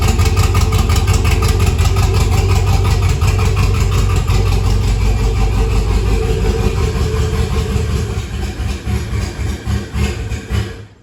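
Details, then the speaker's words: 1962 Chevy C10 with an LS swap: V8 idles with an uneven loping beat, about three pulses a second, then stumbles and dies. Choppy idle attributed to an aggressive cam; it sometimes runs well. "so yeah that's where we're at with that it's got a real choppy cam real choppy cam in it"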